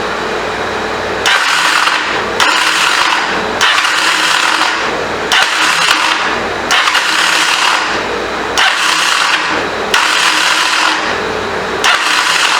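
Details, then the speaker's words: 1985 Honda CMX450 Rebel, unused 15 years, supposedly new starter clutch, stuck throttle: nine short raspy starter bursts with no full engine rotation or firing; suspected bad or incorrectly installed starter clutch, or bad starter. "That does not sound good. It sounds like to me the starter clutch is bad. Either that or the starter is bad. We won't even let it turn all the way over."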